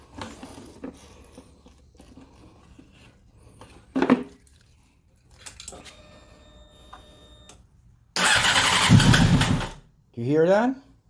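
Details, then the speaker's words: Honda CBR600RR no-start with unsealed air filter: quiet cranking, then two short rough bursts on starting fluid that die; spark and compression seem present, lack of fuel suspected, not confirmed. "so that means that we have spark and uh this means that maybe we have a healthy um Engine with compression so we have to put some more fuel"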